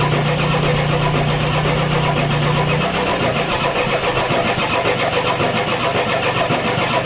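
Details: Ford F-250 XLT 7.3L IDI diesel, all 8 glow plugs connected, temporary fuel hose bypassing mechanical lift pump, cold weather: starter grinds engine over at steady even beat, never catching. Fuel reaches bleeder screw, not injectors; owners suspect weak injection pump, shutoff solenoid untested.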